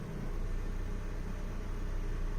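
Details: 2010 Hyundai Sonata, just started after MAP sensor replacement for code P0106 with battery disconnected: smooth, steady low idle rumble with no misses, ticks or surges; car starts great.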